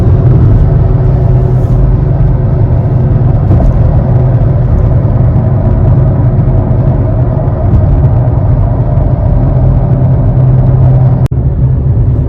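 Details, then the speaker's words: 2007-12 Nissan Altima driving: constant deep, low droning roar from the front, not from the tires; worn front wheel bearing, side unknown, so both are being replaced. "If you can hear, there's a roar in the front of this car, and it's not coming from the tires. So if you hear that low sounding roar, then it's most likely your wheel bearings."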